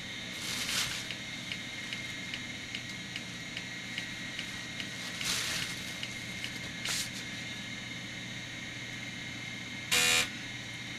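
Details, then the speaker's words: MICATA MBVLSI-168 AMD 286 system booting from floppy: soft ticking broken by harsh buzzing bursts as the head seeks, drive unable to read the disk. "I don't really sound that healthy if you listen to that yeah it's not able to read that dist at this point"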